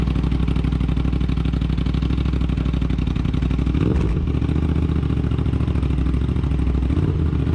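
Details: Aprilia RS 660 just after DNA air filter install: steady even idle firing pulses with a brief smooth rev blip, no knocks or rattles; runs cleanly.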